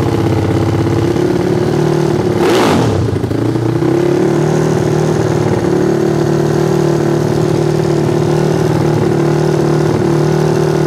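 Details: Yamaha Fino scooter modified to 200cc, total-loss electrics with charging removed, jump-started for power-hungry starter: crisp rev blip then strong steady idle with clean even beat; runs healthily.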